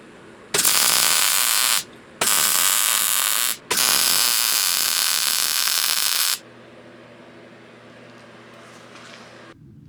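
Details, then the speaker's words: Repaired 39-year-old Linde 225 MIG welder, first test after reassembly: three bursts of steady, even crackling buzz with no popping or sputter, then the machine's low hum; a stable, smooth arc. "I am happy to report that after getting this welder back together it is running much better I don't know if I can say that it's 100% off the line brand new but again this is a 39-year-old welder and it is running and it is running well"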